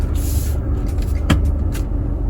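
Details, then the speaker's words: Nissan Magnite, engine idling, handbrake up, in neutral: a single sharp click as the steering wheel reaches full lock during the reset procedure, the sign that the electric power steering has activated; used to fix a steering wheel that won't self-center. "As you heard, it gives a clicking sound. That's the sign that the steering got activated."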